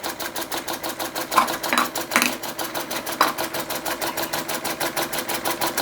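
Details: Restored Empco B-43 model steam engine run as slow as possible under its own steam: soft, even chuffs, steady and unhurried with no knocks or hesitation; running sweetly at slow speed.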